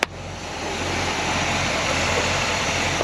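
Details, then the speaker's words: 1968 Pontiac Grand Prix big block, off the road an estimated 15-20 years, first run after revival; lifters were ticky earlier. Now an even, steady idle with a smooth exhaust hum, no knocks, ticks or misses, and good oil pressure. Normal idle. "it's almost too quiet but sounds good great oil pressure see it pumping like crazy sounds"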